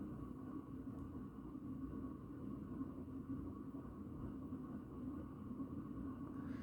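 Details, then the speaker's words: 36" 4 Seasons Galaxy ceiling fan on medium speed: steady low hum and rumble with a droning motor tone, bearings getting loud and fan starting to wobble; badly worn bearings. "all right here's a medium you can hear the bearings are starting to get really loud now it's starting to wobble a bit now starts to wobble on medium"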